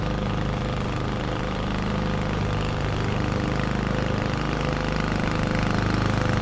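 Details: 21-inch Husky push mower (11A-B2M7031), Powermore OHV engine, fresh oil, started first pull: steady, even low drone holding speed while mulching, blade whooshing through grass, no misses or knocks; healthy.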